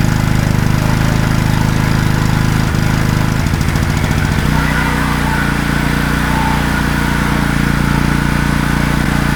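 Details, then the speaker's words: Wacker Neuson GP2500 generator, Honda GX160 engine, running but producing no voltage: hunts and surges after a few seconds instead of settling to a steady governed speed; owner plans to get the carburetor running properly. "I'm going to have to get that carburetor running properly."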